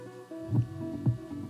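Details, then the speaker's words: A 35-40 year old Panasonic RQ-V520 personal cassette player plays the forward side dull and boomy with no treble, while the reverse side sounds fine. The head was cleaned, and the cause is the deteriorated forward side of the head, not azimuth. "is all is not because of the caption is not because of the cleaning of the head or whatsoever is just because the head is deteriorated and the forward position had vanished the edges and fine details of the edges"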